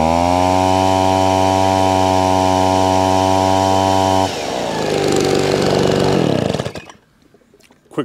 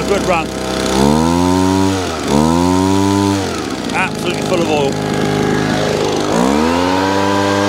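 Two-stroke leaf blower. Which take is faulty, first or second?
second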